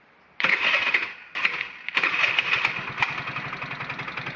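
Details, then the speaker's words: Chinese scooter engine salvaged from a wrecked scooter, bench-tested on a simple CDI harness with jumper cables to the starter: starter churns briefly, then the engine catches into quick, even popping; normal engine start. "Um, but I'll show you how it fires. You have to use cables to fire it up, though."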